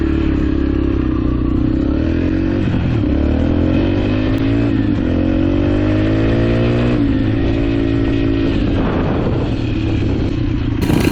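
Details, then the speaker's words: Rebuilt 2003 Yamaha TTR125 single-cylinder dirt bike after repairing an engine knock, being ridden: revs climb cleanly through each gear and drop between shifts, with no knock or rattle under load. It is quiet, and the knock is gone. "Nice and quiet engine. That's really quiet. So we got rid of that sound."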